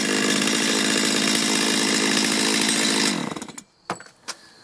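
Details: Stihl chainsaw after carburetor adjustment fixing hard starting and bogging on acceleration: holds a clean, steady high scream at full throttle for three seconds, then drops away smoothly when released; crisp, responsive and healthy.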